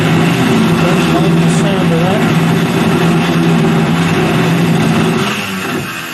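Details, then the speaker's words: Carvera Air benchtop CNC mill, end mill spiral-ramping into stock at conservative feed rates: spindle whine with a harsh wavering buzz over steady low tones, heard as chatter. Operator suspects the spindle speed is too low. "Well, that didn't go well. I think the spindle speed is not high enough."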